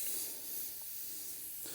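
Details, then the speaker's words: Workshop compressed air line with an extension, just after the air is turned on: a steady, thin high hiss. A small air leak at a smaller-size coupling connector; these connectors have rubber seals that tend to leak. "just had to do a bit of repair work on this um Airline had to put a join in cuz we were leaking there"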